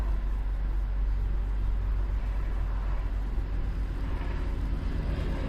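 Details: 2003 Mercedes-Benz E-Class 3.2L, previously crank-no-start with a suspected fuel pump, after starting: low, even rumble holding steady with no stumbles or misses; engine idling smoothly.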